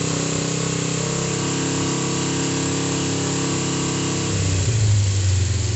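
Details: Freshly reassembled, serviced Kawasaki GPZ500S (498cc twin, carburetted, started after priming carbs) idling just after an easy start with an even, steady throb; a throttle blip raises pitch cleanly. Healthy warm-up idle.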